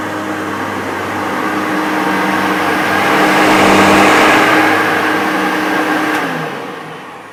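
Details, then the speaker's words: Maytag U5131 upright vacuum on carpet: motor roar swells and fades with a thin high squeal on top; owner thinks a belt needing replacement causes the squeak. "I could hear that squeaking, and like I say, I think it's going to need a new belt. I think that's what's causing that."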